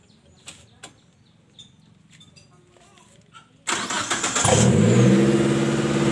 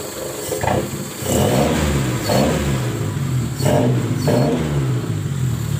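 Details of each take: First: Colt T120SS: quiet, then engine cranks, catches and settles at fast steady idle that never drops; rpm stays high because worn throttle valve lets in extra air; fix is replacing throttle valve. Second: Colt T120SS after refitting the throttle body, whose worn valve let extra air through; the engine holds an even idle with light throttle blips and no hunting, rpm now stable: normal idle.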